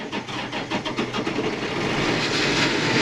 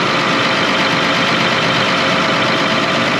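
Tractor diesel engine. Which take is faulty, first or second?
first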